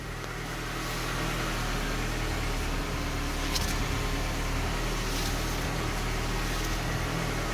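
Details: 1998–2002 Honda Accord 4-cylinder at idle after power steering pump replacement, fluid topped up and check engine light cleared: smooth, steady idle with a low even hum and no whine. The new pump runs quiet.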